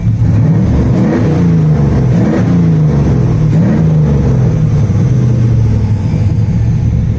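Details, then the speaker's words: Nissan Hardbody D21 truck being built to 400+ hp, new exhaust with exhaust cutout valve opened for louder sound; throaty throttle blips, pitch swinging up and down, strong clean exhaust, no misfire or knock; healthy. "Here, we'll give it a rev. And then we'll make it fun sounding. So here's the valve. And now we'll give it another"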